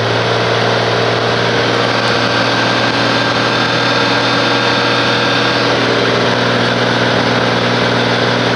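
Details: 1850 diesel tractor with a new rebuilt injector pump and a new cam gear key after a loose gear bolt ate the old key. Steady fast-idle clatter with a slightly lumpy beat; runs rough, owner wonders about the valves.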